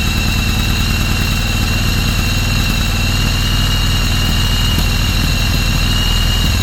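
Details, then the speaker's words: 1995 Yamaha Virago 1100 first start after about 12 years sitting, carbs cleaned: deep, steady V-twin throb, even beat, no misses, settling into a healthy idle. "Well, guys, it runs, huh? First start in 13 years."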